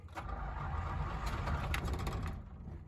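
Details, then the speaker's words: 1977 Jeep CJ5 cranked after pumping the pedal with choke: starter turns the engine at a steady, slightly uneven pace but it never fires; crank-no-start, owner suspects flooding. "oh come on i think we flooded her yeah we flooded her good guys"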